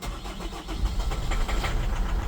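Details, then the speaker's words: Holden Captiva 2.2 diesel that would not restart after EGR replacement (knocked, pinged, stalled; fuel system likely full of air): starter churns briefly, engine catches and settles into steady low idle, clean start without misfire. "Oh, we're running. How good am I?"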